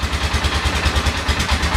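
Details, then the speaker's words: 1997 Polaris Sportsman ATV (converted to 2005 styling) after clutch removal, restarted: even, steady low thumping idle, much quieter, no banging; normal idle, pointing to the clutch as the earlier noise source. "you listen to that sounds a lot quieter now no banging away"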